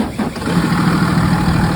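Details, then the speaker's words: Commercial box truck engine after about 5 minutes of idling during a pre-sale inspection: steady, even low rumble with no knocks, misses or rattles; normal, healthy idle. "here it is after about 5 minutes of idling. And that's what a healthy engine sounds like."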